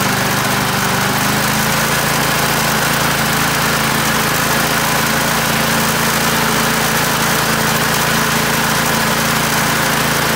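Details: Australian-built Rover four-stroke mower after governor spring straightened: steady, even drone at constant speed with no misses, knocks or surging; runs smoothly and healthily.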